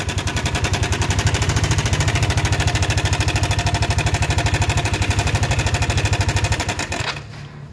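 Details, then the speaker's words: Yamaha NMAX scooter engine at idle, started with the starter, cylinder not boreable: loud, hard chattering about three clatters a second, stopping at shutdown; suspected cam chain tensioner or cam chain rattle, possibly rocker arms or bearings, still to be checked. "mungkin segitu jelas ya untuk suara mesinnya ini sangat berisik sekali rawan sekali takut ngerembet ke yang lain apakah eh maksudnya bisa juga dari lidah apa dari Tensioner atau tonjokan keteng"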